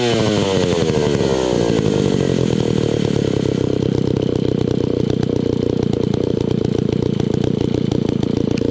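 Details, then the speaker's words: Old, beat-up Alpina Pro 120 chainsaw, 120cc, carb kit just fitted, low compression suspected from a worn piston and cylinder. It is slow to start, revs up, then holds a ragged, hunting idle; the carburetor adjustment won't stay set and needs constant re-adjusting. "you see it takes a little bit to start the carburetor adjustment doesn't want to seem to stay you have to keep on messing with the carburetor to get it to idle"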